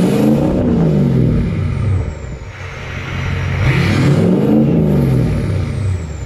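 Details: Ford 6.0 Powerstroke diesel with MBRP exhaust, S&B cold air intake and SCT Livewire tuner, stationary sound test: two clean rev blips rising and falling smoothly over a deep diesel rumble, no knocks or hesitation; healthy engine.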